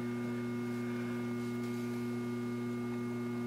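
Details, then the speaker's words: Old 1960s Tri-ang Hornby train set power controller on mains: a steady low electrical hum with buzzing overtones. Transformer hum; the old controller warrants safety caution. "so with that said you can hear the electrical hum going on there and you don't have to use a old power controller like I'm using here"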